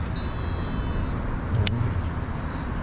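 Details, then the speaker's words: Loongze DBC-1 digitally controlled baitcast reel on Tsuyrinoa Ares UL 4'7" rod, 4 lb Sunline Sniper fluorocarbon, casting about 2.25–2.5 g lure: thin high buzz fading within a second as spool slows; electronic brake preventing overspool, working normally. "hear that buzzing sound of the digity controls keeping it from over spooling"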